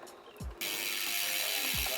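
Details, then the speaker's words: Bicycle front derailleur on largest chainring and smallest rear cog, high limit screw deliberately loosened: steady scraping hiss with light ticking as cranks turn, chain rubbing the cage; fixed by turning the screw clockwise in small steps to about a 1 mm gap. "When we hear the chain rub, then we want to start backing it out clockwise in small increments until we have a very small gap and can no longer hear any chain rub."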